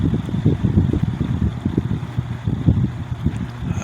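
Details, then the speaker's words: Lakewood X22 vintage box fan running on high speed. Low, rumbling whoosh pulsing unevenly several times a second; the fan blade is out of balance. "okay so the fan is fan is out of balance I'm only going to run this very briefly too by the way"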